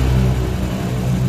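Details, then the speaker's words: Honda Supra X after engine rebuild for a very rough-sounding engine, with oversize piston, new cam chain, pulser packing, oil pump gear and oil: smooth, even low engine note, steady firing, no ticking, knocking or clatter; now very smooth. "nah ini suaranya Tuh kan udah paling alus banget nih"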